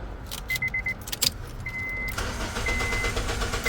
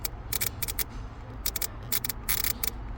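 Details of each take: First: 2007 Honda Civic (8th gen) after replacing the ignition switch: key chime, short crank, then it catches and settles into a steady idle with no buzzing from the start cut relay; the no-start problem is cured. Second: 2007 Honda Civic that sometimes won't start, fuel pump relay removed: turning the key gives crackling, buzzing clicks from the starter cut relay with no cranking; the cure is replacing the ignition switch, assuming the battery and charging system are good.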